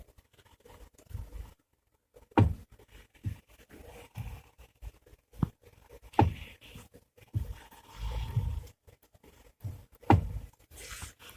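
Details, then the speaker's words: Chery Tiggo 7, steering column joints all tightened but knock remains with wheel in lowest fixed position when turning; stethoscope traces dull single knocks to the electric power steering unit, a rare fault. "проверили все крестовины именно Когда ставишь и наушники стетоскоп то есть ступ именно с усилителя рулевого колеса"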